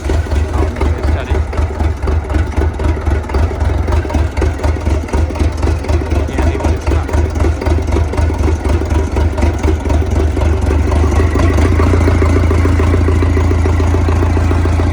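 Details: A CAT 307SSR mini excavator's Mitsubishi diesel catches and settles into a steady low idle, even pulses around four per second, no misses, after injection pump installation and fuel bleeding fixed a no-start; runs properly.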